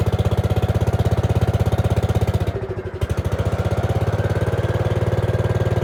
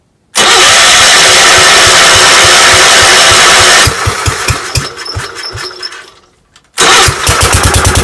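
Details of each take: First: Gravely 5665 freshly fitted with a China carburetor (after a 15hp carb was tried), air cleaner on: an uneven single-cylinder chug of about 140 beats a minute sags, nearly stalls, then recovers. It runs only on choke. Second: Gravely 5665 first start on newly installed Chinese carburetor, mixture screws at 1.5 turns, air cleaner fitted, unloaded: fires straight away into strong even beat, stops briefly, restarts cleanly and pulls steadily; ran perfectly, load test still pending.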